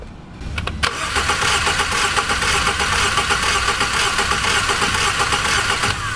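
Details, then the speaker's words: 2015 Jaguar XF 2.0L four-cylinder, dead misfire with flashing check engine light, cranking in clear-flood mode with all coils connected: uneven cranking rhythm, heavy and light strokes, seemingly two good and two low-compression cylinders; amp clamp check planned to confirm. "it almost sounds like there's two good and too low to be sure I would like to put an amp clamp and confirm"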